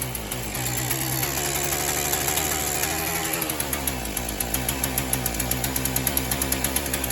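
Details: Shindaiwa M242 two-stroke after replacing fuel lines and fuel line gasket, primed: catches and settles into a steady, even quick buzz, running smoothly on choke without sputtering; normal running.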